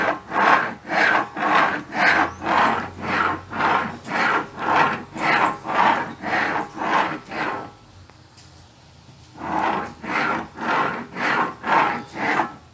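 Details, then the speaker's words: 2010 Ford Fusion V6 electric steering rack, worked by hand: rhythmic rasping grind about twice a second from the electric motor end. Worn rack bearing; water had entered the steering rack. "enfim o barulho é realmente aqui ó na caixa de direção ó bem desse lado aqui né desse modo elétrico e"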